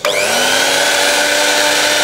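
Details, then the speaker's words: Miyako blender, previously totally dead, after jumper repair without replacing motor: spins up quickly to steady high whine holding even speed; healthy motor. "Nyalakan Oke sudah bisa nyala udah bisa muter Sip lah"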